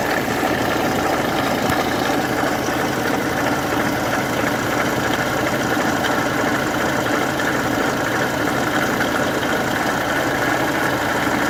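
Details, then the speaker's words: Opel Corsa 1.3 CDTI diesel idles with a steady, gritty rattle over the engine from the alternator pulley, whose bearings are badly worn by excessive friction and need replacing before the pulley seizes. "Los rodamientos de la polea del alternador traquetean.."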